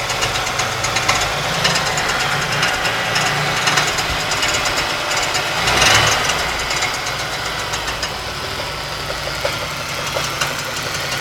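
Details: 1992 Ford Taurus 3.0 Vulcan V6: constant rough grinding at idle with fast uneven clatter, about three ticks a second; still present with the alternator and serpentine belt removed, seems to come from the right side within the block; cause unknown.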